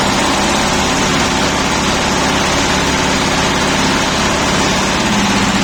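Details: Shifeng SF 138-2 single-cylinder tractor diesel idles with an even, soft chug and no knock, after its earlier knocking was cured by a thin spacer, about 1 mm, placed under the fuel injection pump.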